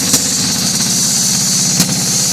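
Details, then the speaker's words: 2-cycle diesel, 2,389 cu in, idling after leaking fuel lines were fixed: a nice and loud, even, crisp beat with the characteristic 2-cycle tone and no misses or knocks. Normal idle. "There's that tone I was talking about. Nice and loud, man. I love it."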